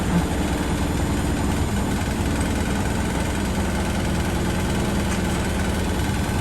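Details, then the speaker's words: Beko washing machine on fast spin on a bouncy wooden shed floor: deep steady rumble with loose uneven thumping as it rocks, and the floor and a light bang along; the machine is not level and needs levelling. "Obviously the Becco's having a little bit of a dance. I need to level that a bit."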